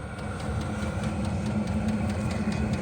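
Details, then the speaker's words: VEVOR 8kW 12V all-in-one diesel air heater running on low setting, drawing only 30 watts after glow-plug warm-up at 150 watts; low steady fan roar with soft even combustion hum, no surging or rattles; normal running. "But tonight, it is an emergency. It's running on low. It's only pulling 30 watts."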